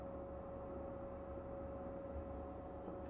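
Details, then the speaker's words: PC running the game Stalker: a thin, steady high-pitched whine above the fan hum that stops when the game is paused and is absent in Fallout 4. The source is not identified. "но смотрите в чем соль я нажимаю паузу он пропадает это только в игре stalker такое"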